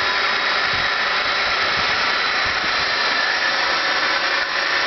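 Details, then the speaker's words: Homebuilt EV's DC motor run on small 12V AGM batteries during brush seating: steady high whirring hiss with rough brushy edge at constant speed; still noisy but substantially quieter than at first setup as brushes bed in. "So as you can hear, it's still fairly noisy, but it has quieted down substantially from when I originally had this thing set up."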